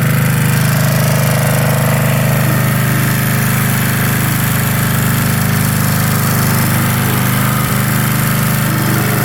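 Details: 1982 Snapper Comet riding mower, 8 HP Tecumseh electric start, after restoration with everything reported operational: steady, even single-cylinder chug at constant speed with a strong low throb and no misses; runs healthy.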